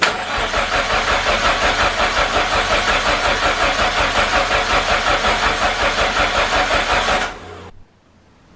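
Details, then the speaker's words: Car with freshly installed replacement engine, first start attempts: laboured, even cranking under three turns a second that never catches, then stops; only seven volts reached the starter while cranking, traced to a faulty battery switch, and bypassing it gave an instant start. "the car had trouble starting there was some electrical gremlins somewhere i were only getting seven volts on cranking so today i bypassed the battery switch and the car started straight away"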